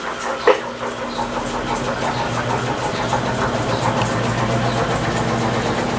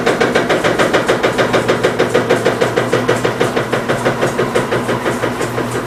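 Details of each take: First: Electrolux LT15F washer spinning an unbalanced load after foam was fitted between the cabinet and the drain hose, which had been slapping: steady rising hum and even whir without banging; spin noise significantly reduced. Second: Electrolux LT15F washing machine in spin, with rear suspension noise: rhythmic thumping about three times a second; drain hose knocking on the cabinet cup.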